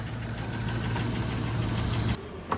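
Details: Saablazer SS truck pulled from the bushes after sitting with flat tires and a dead battery: rough, uneven idle with a dull knock riding under the low rumble before it cuts off; something's knocking, cause unclear.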